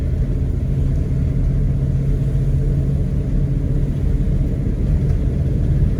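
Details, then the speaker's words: Buick estate car off the road about 13 years since 2009, first drive on an icy driveway, two-wheel drive, then up a steep hill: steady, deep rumble with smooth acceleration into second and third gear, no flare, slip or clunk. "nice smooth acceleration into second gear"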